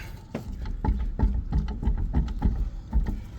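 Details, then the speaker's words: Camper trailer wheel at a campground: repeated dull clunks, about three a second, from a badly worn inner wheel bearing with about 3/8 inch of play. "This inner bearing is very sloppy."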